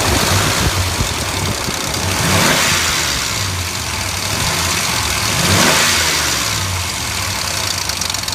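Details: 2003 Dodge Ram 1500 4.7 engine at idle with a repeating knock about three to four per second over the engine note; some mechanics suspect the timing chain, others suggest replacing the engine; cause unconfirmed.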